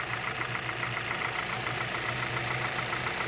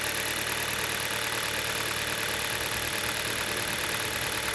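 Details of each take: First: 2011 Hyundai Solaris, G4FC engine, 166k mileage, 15°C outside, coolant at 58°C, about 900 rpm: a light ticking knock appears from the top as the engine warms; owner suspects piston slap or valves tightening as clearances change. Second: 2011 Hyundai Solaris, G4FC engine, 166k km, cold start at 15°C outside, heard under the bonnet; timing chain (upgraded), phaser and valve replaced. Runs evenly at raised warm-up idle with a steady hum, no knock audible, perhaps masked by the higher revs.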